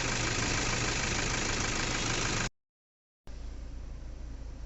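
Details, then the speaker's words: Toyota Fortuner diesel after repair of a knocking and pickup fault (fuel checked for water, injector inspected): steady, even idle with no sharp knock, now quiet; normal diesel idle. "तो गाड़ी तो अभी एकदम silent है"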